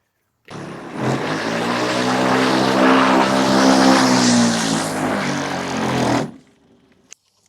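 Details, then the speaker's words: Black & Decker Lawn Hog MM875 electric mulching mower, plugged in on its side with cover off: motor spins up to a loud, rough buzzing whine with wobbling tone, then winds down; broken motor cooling fan with pieces missing, to be replaced. "Replace the broken fan. Let's see if we can take a closer look at the broken fan."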